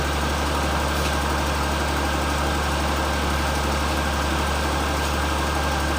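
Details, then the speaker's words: 2003 Perodua Kelisa 1.0 (hot no-start problem) after fitting grounding (bonding) cables, air conditioning on; idle reads a little over 1100 rpm, steady even hum under compressor load with no hunting or misses; owner thinks the install may explain the stability, normal idle. "Bacaan dia 1100 lebih sikit. Mungkin sebab kita punya pemasangan ni lah, dia lebih stabil."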